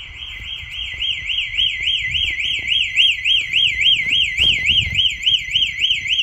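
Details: Home alarm tested at night by opening the back door, fitted with a hidden magnet sensor. The linked smoke alarms double as the siren. Loud, steady, high warbling siren sweeping about four times a second; alarm siren working normally.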